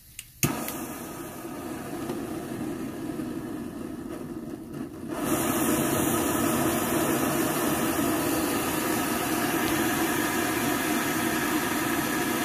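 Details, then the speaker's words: Vintage Rogers Akron Ohio M1950 military roaring stove, relit after priming: steady, even roaring hiss that holds without sputtering or pulsing; the burner runs cleanly at full output with a perfect blue flame. "can you hear me now man that's some roaring going on there mil-spec and the uh you know 1950 roaring lantern and aurora roaring stove"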